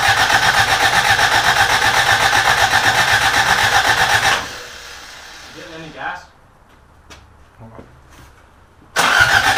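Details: Rebuilt carbureted Toyota Corolla, first start attempt: steady fast starter churn about four beats per second, never fires, then stops; fuel starvation, gas not reaching carburetor, old tank gas believed bad.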